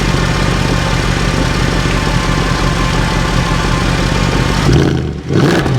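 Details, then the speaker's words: Mercedes C63 AMG V8, partly warmed up, with a completely standard exhaust: a very loud, deep, even burble that climbs smoothly with free revs and settles back, with no misses. Normal idle and revving. "I hope that comes across just how insanely loud this car is. I mean, underneath, it's completely standard. There's nothing been done to the exhaust."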